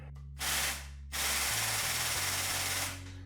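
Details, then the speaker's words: New OEM Tools 20-ton air-over-hydraulic press (25087), first try after assembly, air connected, no air leaks: loud air hiss with fast low pulsing impact-like chatter as the ram moves; pump working normally. "you can hear that making that impact kind of noise oh yeah ram's moving"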